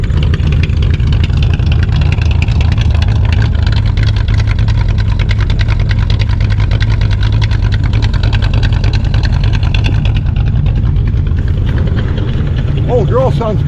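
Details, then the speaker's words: 1967 Chevy Impala 283 V8 after a starter swap, spewing black smoke: deep, lumpy idle with uneven beat and soft pops back through the carb; suspected stuck or not-fully-sealing intake valve, engine otherwise without valve noise. "at the exhaust but that popping through the intake that's showing it's got a stuck intake valve or an intake valve but this is sealing completely"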